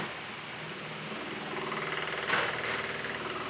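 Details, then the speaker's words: Onan Marquis Gold 5500 generator in a 2003 Fleetwood Bounder 36S RV, breakers off, just after start-up: uneven, stumbling, surging running that smooths out later; hard-start/stalling problem. "Then we're going to fire it up and I'll show you what it's doing. It runs pretty rough at first."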